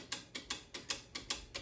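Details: 6-zone Argo boiler switching relay chattering: sharp dry irregular clicks about four a second over a quiet background as it pulls in and drops out, heard with the zone valve end switch pushed in.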